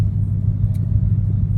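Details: 2015 Ford Mustang GT with tune only (no intake mods), sluggish, codes P0300 and P0308 cylinder 8 misfire after two dealer visits: low, lumpy, stumbling idle; owner suspects spark plugs, fuel pump or injectors, unconfirmed.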